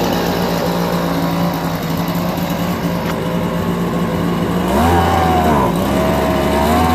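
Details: Homelite BP250 two-stroke backpack leaf blower found in trash, old gas drained, fresh 2-cycle mix and fuel mixture screw adjusted. Even steady idle with a smooth blip in revs: normal idle.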